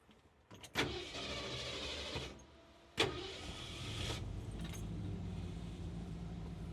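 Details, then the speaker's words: Restored 1947 Ford F100 pickup with a flathead V8, true dual exhaust and Cherry Bomb mufflers: two brief cranking bursts, then the engine catches and settles into a steady low rumble. A clean, healthy start. "And now we're going to start her up. So this is where you turn it on."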